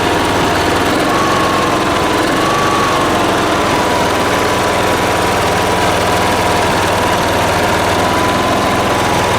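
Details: Late-1980s John Deere RX95 riding mower, after reconnecting the fuel line to the carb: loud, constant roar with a faint steady whistle drifting slightly in pitch; no knocking or misfires, so the engine runs properly.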